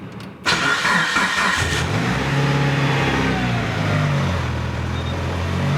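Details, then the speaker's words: Mitsubishi Evo after rebuild, cold garage about six degrees: starts, idle sits high near 2000 rpm and hunts up and down without settling; cause found as air leak at inlet manifold gasket. "well I can already tell it's not fixed the problem you can see it now [Applause] it's doing the same thing again"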